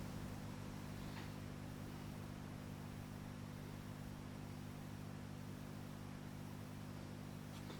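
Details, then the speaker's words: Decca Portolla record player turntable motor after oiling, during tonearm replacement: quiet, steady low hum with no rumble, scraping or speed flutter, running really quiet now; normal turntable motor running. "Turntable's nice and quiet now. Gone really quiet now we've oiled"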